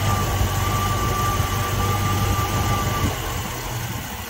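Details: 1960s Ford Mustang 289 V8 automatic, described as running super rich, during timing check: low steady idle burble, even beat, no stumble; timing right on the mark.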